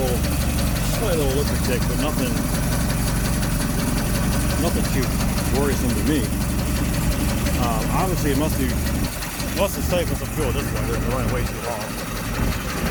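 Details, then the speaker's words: 1985 Sport Craft 210 boat engine idling on its own tank, old plugs, wires, gas, untouched carb, a little low on oil, no load: steady low rumble with faint irregular light tick; cause unclear, some ticking went away after running. "the thing runs pretty damn good i mean it idles perfectly it starts right up it's quiet up here at least i mean i don't hear anything that sounds too abnormal you know maybe a little"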